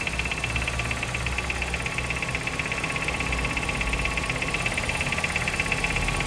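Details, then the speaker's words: Nissan Sentra at idle: steady idle with light fast ticking at engine speed from the engine; customer already replaced the pulley with an original Nissan part but the noise persists; cause unknown. "Ó o barulho. Cliente falou que já trocou a polia, gastou R$ 3.000 nessa polia original na Nissan. E o defeito ainda persiste, pessoal."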